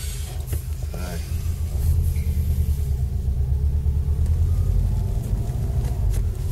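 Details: Subaru Impreza WRX, 5-speed gearbox, driving after centre diff bearings replaced and shafts shimmed: only steady low road rumble, no whine or growl; drivetrain quiet, normal.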